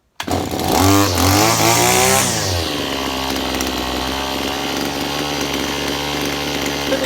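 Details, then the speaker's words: Petrol strimmer that would not start, now running on a bench: a buzzy two-stroke flares high, then drops to a steady but slightly unsettled tick-over that needs a small idle speed adjustment. "need to give that just a little bit of adjustment on the tick over"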